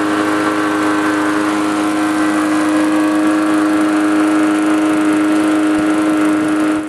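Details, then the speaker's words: Small petrol lawnmower after replacing a sheared flywheel key: engine runs fast and steady with an even buzz, without the earlier knocking at start-up and the slow speed-up. "So, you can see a huge difference by just replacing the flywheel key."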